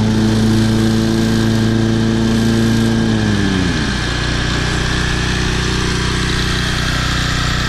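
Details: Toro Personal Pace 20333 mower, Briggs & Stratton 190cc engine, running on a new aftermarket carburetor with the governor shoulder bolt corrected: even single-cylinder drone, pitch easing down smoothly as speed settles, no knocking or surging; normal running.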